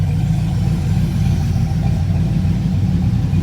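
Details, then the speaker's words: OBS truck just fitted with a PCM tuned by PCM for Less, cold and warming up: steady even low rumble, no knocks or misses; idling better than before; normal idle. "But yeah, she's idling better than she's got to warm up for sure."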